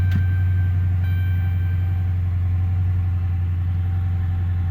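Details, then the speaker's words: 2014 5.7L Hemi V8, 101,000 miles, first start after fitting a JTL cold air intake: deep, steady idle with an even beat and no ticking on top, intake louder when throttled; no check engine lights. "So let's do a little start up here. You can definitely hear it when you step. When I step on it. No check engine lights."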